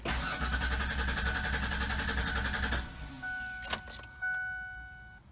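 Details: 1996 Ford Explorer that sat two years, little fresh gas added: steady starter cranking about three seconds with no catch, then silence and dash chimes; cranks but won't fire, owner suspects failed fuel pump.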